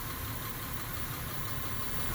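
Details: 2000 Honda Accord 3.0 V6 with a random cylinder misfire, worst at idle: lumpy, uneven idle with periodic stumbles; scope of primary coil current shows cylinder 5 misfiring, needing a new ignition coil.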